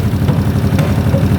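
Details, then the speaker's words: 1981 Honda CX500 café bike after years stored in a basement, without its airbox and with an accelerator pump that seems dead from a worn diaphragm: a lumpy V-twin idle with sharp pops spitting back through the carb intake, meaning lean running. "see if that makes a difference but it's popping through here usually means just run and lean"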